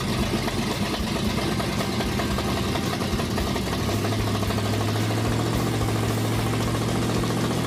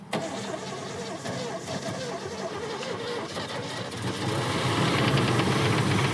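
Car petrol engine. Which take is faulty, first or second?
second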